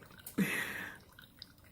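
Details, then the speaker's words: Keurig coffee brewer that had been clogging, brewing slowly and leaking, after being cleared by blowing through it with a straw: short hissing gush then scattered drips into the cup; brewing normally again. "Oh, thanks, Barry. I think it's actually working now."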